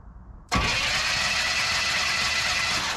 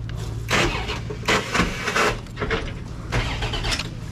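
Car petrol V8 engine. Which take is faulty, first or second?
first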